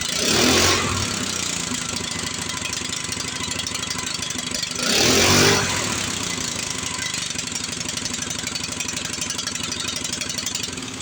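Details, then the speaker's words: Power Smart snow blower small engine after a carburetor clean, with residual carb cleaner in it: holds a fast busy buzz with two brief surges and never drops to idle; sounds like a stuck throttle; cause not confirmed. "This thing's got another problem. It just plainly sounds like the throttle's stuck."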